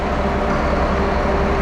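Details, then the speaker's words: 1974 Allis Chalmers 7080 tractor diesel after fuel system bleeding to clear air from injectors: loud, steady, even drone with no knocking, misfire or surging; engine runs smoothly. "That's the sound of success. Listen to that big girl purr."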